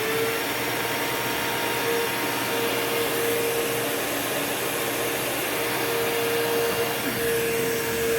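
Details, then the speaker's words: Curb-find old Bissell PowerForce Bagless 6594 upright vacuum, first switch-on before refurbishing; steady high roar with constant whine, no rattle or grinding, bearings okay, fan balanced, no buzzing: old motor, not like new but passable. "Okay, so motor's not, it doesn't sound brand new or anything, but for a old bagless Bissell motor, that is perfectly passable."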